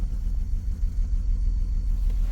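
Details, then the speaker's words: Salvage auction 2007 BMW X3 listed as non-runner, first start, running on its own power with alternator charging, many dash lights: deep idle rumble surging and dipping, very rough. Big misfire at idle. "It does have a pretty big misfire. I can't hear that. There's a huge misfire."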